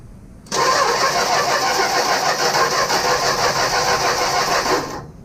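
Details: 1965 Plymouth Barracuda that sat for years, on a boost pack with a jumper wire to the coil's ground side: fast, even cranking about three turns a second, never fires; weak spark, coil ground side shows positive, control module suspected.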